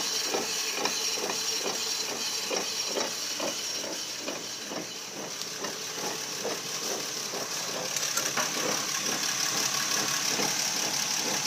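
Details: 2004 Nissan Quest SL gives a rhythmic scraping grind, about three pulses a second, over a hiss from the front end. The front axle was not seated in the transmission, fixed by tightening the hub nut.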